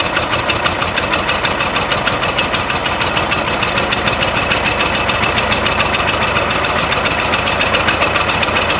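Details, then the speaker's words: 1920 Ford Model T barn find, sat about 10 years, cold engine run to heat the block, no intake air leak found: uneven loping idle with sharp ticks three or four a second, hitting on about three cylinders; misfire, number three intake and exhaust valves stuck open. "it's only hitting on about I don't know three cylinders pop the back valve cover off there's a front one there's the back one and number three both valves are stuck open"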